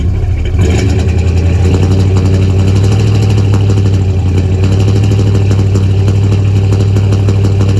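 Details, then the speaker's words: 1977 Chevy C20 V8 at idle, recorded at the exhaust: deep loping note with uneven stumbling miss, sputters in drive; distributor turned to retarded timing causes the misfire. "so that's the sound with it uh with the district or the distributor turn where it is you can hear the miss"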